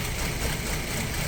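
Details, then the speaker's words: Audi A4 B6 2.0 ALT engine on a cold start: as revs drop to low idle, uneven lumpy running with dull, unpleasant knocks that grow stronger; camshaft phaser suspected, source not confirmed. "Сейчас он начнет брать свои малые обороты, и мы услышим на низких оборотах довольно-таки неприятные стуки."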